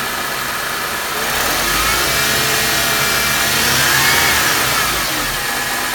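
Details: Mercedes M271 engine running with an even chatter and light whirr on top, about three to four per second; owner first suspected the power steering pump, but the noise was solved as a worn belt tensioner.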